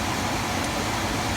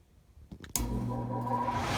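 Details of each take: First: Attic HVAC forced-air unit blower, reinstalled and rewired after a terrible rattle heard through the return vents, test run with AC: even, smooth rush of air, totally quiet, essentially no vibration; normal blower operation. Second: Attic furnace blower: quiet low hum while spinning up, then a harsh loud rattle at full speed, quiet again slowing down; blower wheel wobbles and rubs its housing.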